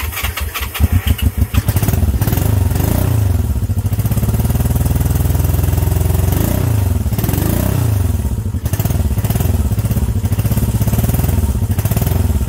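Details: Honda CB350 twin, first start in 13 years: a few sputtering catches, then a lumpy, lopsided idle firing on one cylinder only.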